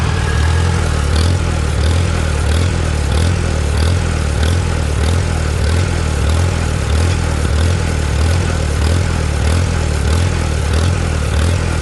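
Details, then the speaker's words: Antique Farmall tractor with new Chinese carburetor: fast, steady beat around ninety-five pulses a minute, won't run below three-quarter throttle, no clog found; owner suspects carburetor air-fuel mixture and idle screw adjustment, starving for air or fuel. "there ain't nothing in there clogging it off can't get it to run unless it's at least three-quarter throttle"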